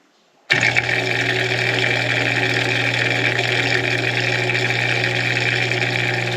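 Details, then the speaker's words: Bosch Nexxt DX washer WFMC4300UC/01, E04 drain error: pump fired up gives a steady hum and light free-spinning whir with no water moved; impeller has broken off the motor shaft, lots of play. "well nope not really so that's the problem our impellers Ratched off the motor"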